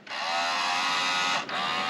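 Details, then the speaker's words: 1985 JDM Toyota Corolla FXGT (AE82) electric mirror: short bursts of smooth steady whirr stopping cleanly between moves; mirror motors on both sides work normally. "on the left hand side is the rear defroster that does work below that you have the electric mirror controls still works"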